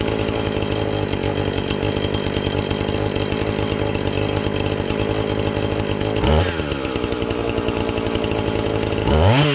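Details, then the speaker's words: Husqvarna 450 X-Torq chainsaw that wouldn't run, new chain and bar fitted, started to check and adjust the carb (special adjusting tool bought): steady high-pitched two-stroke drone with two crisp throttle blips dropping back cleanly; normal chainsaw running. "so I'm gonna start this up and see if we can adjust the carb on it I haven't really I just fired it for a second make sure it'll run"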